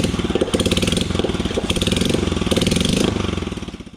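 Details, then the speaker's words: 2008 Royal Enfield Bullet Machismo 350 ES (17 years old) during restoration, started without its silencer: big single thumping at about three beats a second, very loud, raw and unmuffled, a strange sound; the bike had stood a long time with an oil leak. "और ये start करी हुई बिना silencer है, कुछ ऐसी अजीब सी आवाज़ आ रही है, कितनी अजीब सी आवाज़ कर रही है यार।"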